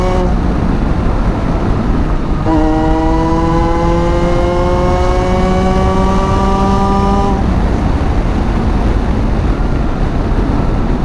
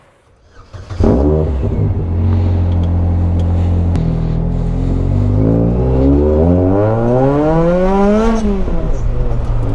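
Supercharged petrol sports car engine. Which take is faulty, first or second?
second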